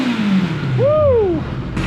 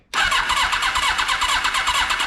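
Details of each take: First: 1982 Kawasaki KZ1000 four-cylinder, sat about 35 years, now running though lean-jetted from factory: clean throttle blip, revs climb smoothly and fall back without stumbling or popping; normal revving. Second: 1982 Kawasaki KZ1000 LTD four-cylinder, sitting about 35 years, no spark from its electronic ignition: steady, quick starter cranking with some compression strokes pushing harder than others, never fires; owner suspects sticky valves, uneven compression while cranking.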